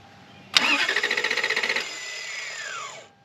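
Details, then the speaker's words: 1991 Lexus LS400 after sitting about 11 years; about a second of quick, even starter chugs with no firing, then the starter whines down; cranks but won't catch, ignition timing out. "So, whenever we were turning the key and it wasn't it like the starter was no longer engaging for some reason. Starter relay was clicking but nothing was happening."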